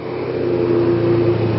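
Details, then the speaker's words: Kawasaki Ninja 250 (EX250), carbureted, cold engine on partial choke about 3/4, slight choke reduction drops rpm to about 3500: steady high-pitched hum, no hunting; very choke-sensitive. Fast choke idle. "So just a little bit of a touch on the choke and it dropped a little bit on the RPMs there. Drop it a little more."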